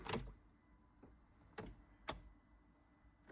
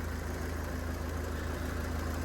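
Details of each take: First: Copart non-runner unrecorded diesel car, restarted after door-module fault and engine management light cleared: a few clicks, then fires into a steady even low idle with no knock or misfire; normal start and idle. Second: Copart non-runner unrecorded diesel car, gearbox also suspected: steady idle with an even low beat and a constant fan whoosh that never cycles off; radiator cooling fan running constantly, cause unknown.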